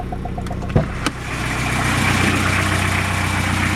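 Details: Toyota Estima Emina 3C-TE diesel at idle: a few sharp, loose knocks early, then a steadier run; a non-original fuel line is knocking against the engine compartment cover, heard inside the cabin.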